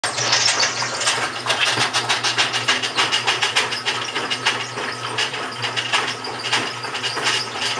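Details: GE washing machine, model WHDSR315DWW, bought 9/30/2006. Rough, scraping grind pulsing under twice a second over a faint motor hum while it runs. Owner suspects the transmission is going bad; unconfirmed.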